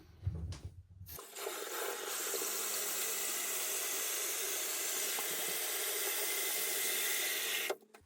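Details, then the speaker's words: Toilet tank refilling after installing a new universal Fluidmaster fill valve: steady even hiss of water rushing in, no hammering or squeal; normal tank refill. "We're gonna slowly turn our water back on and fill it back up."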